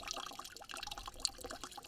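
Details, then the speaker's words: Garden hose fed through about 200 ft of line, with pressure turned down at the spigot to a slow trickle. Soft, uneven trickling and light gurgling, with no hiss or hammering; normal slow water flow. "All right, so we can still hear it flowing."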